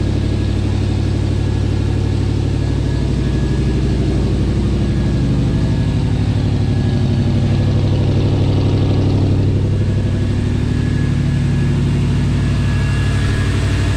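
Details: 1979 Lil Red Express truck just started after six months of winter storage, warming up: deep steady V8 idle with even unhurried beat, no knocks or misses; warming up cleanly.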